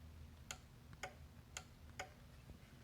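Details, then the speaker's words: Rabbit cable converter on 9-volt battery, stepping through channels: four crisp clicks half a second apart then a louder thump; beefy relay switching normally. "Weird. That's a beefy sounding relay in there. Listen to that."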